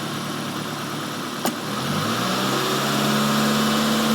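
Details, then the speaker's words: Warm four-cylinder petrol engine at normal idle before a vacuum leak demonstration: a brief click, then a smooth, even idle with a steady low hum, all four cylinders working. "go ahead and run it leave this here sounds normal all four cylinders are working it's actually warm"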